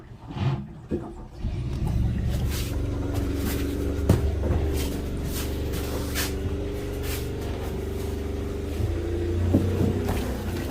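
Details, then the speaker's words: Generator on a Tiara 34 boat that previously would run then shut off (fuel system or stator suspected): after a brief crank it catches and settles into a steady, even low rumble with no knocks; generator running healthy. "oh there she is all right so generator is good"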